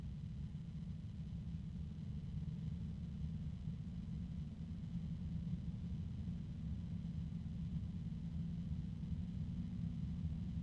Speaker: There is an unusual low-pitched sound coming from this fan. I'm not sure if you can hear it or not.